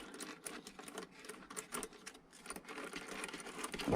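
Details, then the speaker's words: Arrma Mojave RC drivetrain spun by hand after replacing worn, loose bearings and shimming the pinion: light, even ticking whir, no grinding or looseness; normal spin after repair. "quieter now that's not jiggling around like it was yeah these bearings they're just they weren't crunchy but they're worn out on the inside you could tell they were loose and it's much better now"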